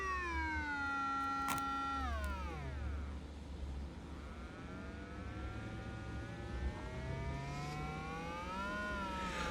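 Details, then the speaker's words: 1968 Sears Silvertone console stereo amplifier fed a sine wave from a function generator into a speaker: a gliding tone comes through harsh and buzzy instead of pure. Hard clipping at a fixed peak-to-peak. "It I mean there's a hard clipping like there's a voltage limiting problem. I mean, you could see that that's it. That the peak to peak is is fixed."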